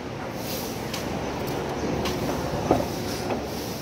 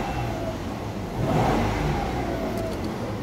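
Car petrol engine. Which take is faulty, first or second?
second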